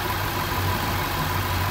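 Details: 2013 Jaguar XJ at idle after PCV kit replacement to fix a hissing vacuum leak at the right valve cover diaphragm and lean codes P2187/P2189 on both banks: smooth, even idle, no hiss or stumble; normal.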